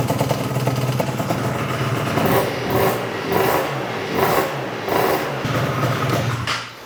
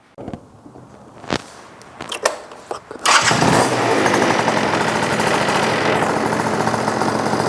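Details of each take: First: Yamaha BWS 100 scooter with Malossi 125cc kit, idle screw almost fully in: two-stroke idle swells and sags about every second, rich off throttle; blocked pilot jet, idling on main jet. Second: Yamaha BWS 100 with Malossi 125cc kit after carb jetting change fixing rich running, airbox off: fires after a few clicks, then holds a crisp, steady high rev without gurgling or stumbling; revving cleanly.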